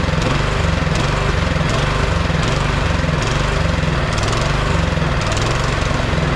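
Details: Neglected 22-inch MTD Yard Machine snowblower, single-cylinder engine on part choke, hunting up and down about every three-quarters second; dies with choke off, dirty carburetor and gas can to be cleaned, before repair.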